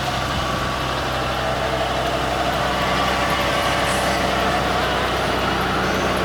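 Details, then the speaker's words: 1986 Ford LTD Crown Victoria station wagon, original 5.0 EFI V8, idling under the hood: faint uneven ticking that comes and goes over the hum, hard to start; owner suspects valve train, unconfirmed. "It sounds like it's coming from right here. Maybe it's something in the valve train."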